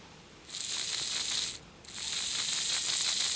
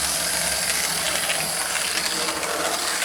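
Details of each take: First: Lima Express Parcels van model railcar drive after fitting a 3D-printed replacement for a broken small gear, run on a battery on the rear contacts, forward then reverse: high buzzy whirr with fine rapid ticking; new gear suspected rubbing on back of wheel, not confirmed. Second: Lima Express Parcels van model railcar after 3D-printed replacement of a broken small gear, lapping the track: light fast even gear whir with faint ticking; meshes fine, new gear probably needs running in.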